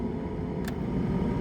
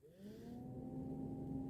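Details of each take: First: 2002 VAZ 2112 old cabin heater blower before replacement, run through settings one to three: steady droning whir with hum over a low rumble, louder than it should be; being replaced with a new Luzar fan. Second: 2002 VAZ 2112 cabin heater blower after replacement with a new Luzar fan, switched on: spools up quickly to a steady, clean hum with no rattle or scraping; working properly.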